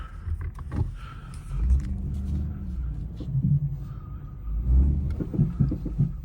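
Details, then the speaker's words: 2011 Ford Mustang rolling in and out of the shop: dull, irregular clunks from the front end over a low rumble, louder when the front is shaken; worn front struts suspected, sway bar end links also bad. "Sounds like it's coming from the front, and when I shake the front, you can really hear it up there."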